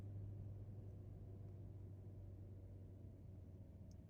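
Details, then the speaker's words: Chevy Volt started on gasoline despite about 24 miles of charged range; 53°F outside after a heated garage; 12V AGM battery electronic gremlins suspected. The engine screams at high, steady revs, then slowly drops toward idle as the driver brakes. Racing engine, cause unconfirmed. "It's just screaming. Listen to the motor. It'll start to slow down now that I'm breaking."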